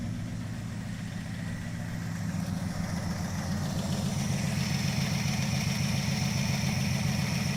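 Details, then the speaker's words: Crew Cab Charger engine after a spin prime test: a light, quick, steady ticking over a quiet idle that keeps pace with engine speed; lifter tick still present, timing not yet verified. "Sounds like that lifter tick still doing its thing."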